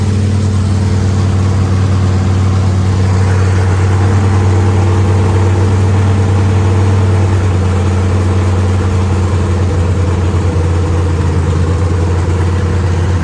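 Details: Factory stock race car engine with the transmission out, floating on its front motor mounts, after fitting the right flywheel, which reduced vibration: steady, even idle with a smooth low rumble and no knocks, ticks or squeals. It runs healthy.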